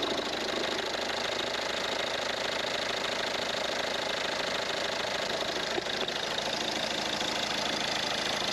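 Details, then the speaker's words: Ford Mondeo diesel after leak-off pipe work: earlier it ticked over very fast and sounded like it had no compression; now a steady, even idle with light regular clatter, no misses, sounding much better. "Maybe just switch there for diesel then. She sounds better now."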